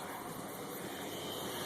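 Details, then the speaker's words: 1977 Lincoln Continental on first start, fuel fed from a can bypassing the holed tank: steady airy hiss over the idle with headlights off, stops when headlights turn on; owner suspects a vacuum leak behind there. "was this well you can hear that when I turn the headlights on it stopped so it sounds to me like there's a vacuum leak behind there somewhere"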